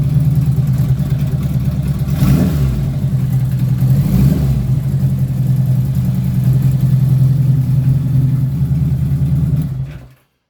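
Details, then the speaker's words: 1977 Honda Goldwing GL1000 after fitting Dynatec ignition and Dyna coils: steady, even low idle rumble for nearly ten seconds with no misses or stumbles before shutting off; runs much better, normal idle. "So it runs so much better. Listen to this starting up."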